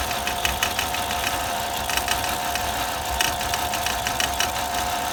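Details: 2002 Volvo XC70 petrol engine running rough with a misfire, uneven sharp knocks and stumbles over a steady whirring hum; previous owner says it dropped a piston right after a timing belt job, unconfirmed.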